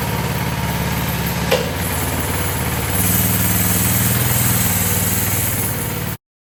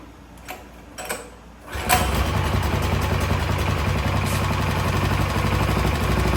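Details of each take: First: Coleman CT200 minibike with Predator 212cc single-cylinder, new VM22 aftermarket carb, new throttle, clutch and jackshaft chain: steady even thumping idle with slight rise midway, then shuts off; runs smooth, normal idle. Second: Coleman CT200 minibike with Predator 212cc engine, started on starting fluid: a couple of failed catches, then it runs with an uneven, lumpy putter of about four pulses a second; carburetor needs cleaning (new carb planned).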